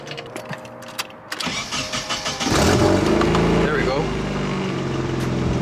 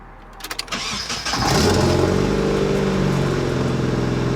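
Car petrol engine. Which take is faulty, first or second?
first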